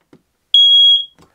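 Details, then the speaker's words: RV smoke detector with 9-volt battery, test button pressed: one loud, clean high-pitched chirp about half a second long, detector in good working order. "right we got a good chirp and that means that that smoke detector fire alarm is in good working order"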